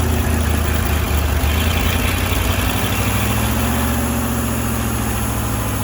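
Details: Firetruck V8, warm near 190 and kept from running hotter until a fan is fitted: deep, steady, even burble, no knocks or bangs; timing set roughly, fine tuning to come; healthy warm idle.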